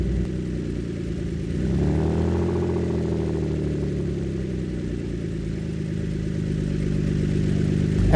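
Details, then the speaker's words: Ford Flex V6 with both front flex exhaust pipes removed, open exhaust ahead of the system: deep, loud, raspy idle around 1000 rpm swelling gruffly on a blip; open exhaust. "so let's see what this sounds like with uh an open exhaust per se [Music] I kind of like it it sounds really deep and really gnarly"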